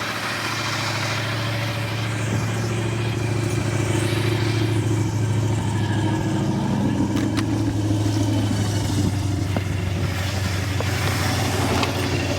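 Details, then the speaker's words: 1964 Ford Galaxie 500, stock 352 FE V8, Cruise-O-Matic, 37,777 miles, barn-stored since about 1992, first run: raspy puffing exhaust note with odd sharp pops; owner suspects holes in exhaust; exhaust leak with slight backfire. "We know that we have exhaust, at least mostly. Sounds like maybe there's some holes in it, so we'll deal with that."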